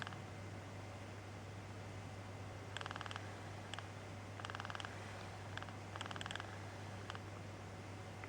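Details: DualShock 4 controller, two months old: the right vibration motor knocks at low speed. Soft rapid ticking bursts over a low hum, and the knock stops once the motor spins up. Vibration motor knocking at low speed.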